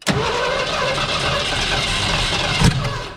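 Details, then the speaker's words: 1970 Ford Mustang Mach 1, first start attempt after nearly 40 years sitting: steady cranking then one sharp loud pop as it backfires through the carburetor with big flame; carburetor to be swapped. "all right so progress we have a spark as you saw on the video i probably jumped because i knew it was gonna do that i knew it was gonna shoot a big flame up but i'd still jumped"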